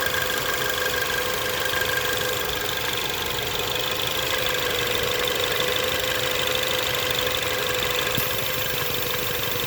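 Steady idle with a constant airy hiss and a faint fixed tone on top, not changing; possibly a vacuum leak, unconfirmed.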